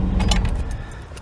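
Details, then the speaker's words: 1996 Chevy Tahoe after starter replacement and battery negative cable reconnected: quick clean start, no dragging crank or slowing, settles to even idle; previous remanufactured starter failed after 14 months and 13,000 miles, having started dragging. "yes indeed he sounds good to me no hesitation no slowing down"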